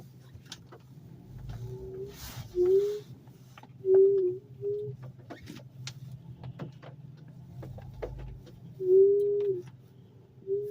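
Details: 2013 car, left rear wheel brake, heard on the last few mornings: short low half-second groans at irregular intervals over a quiet hum, sometimes much louder.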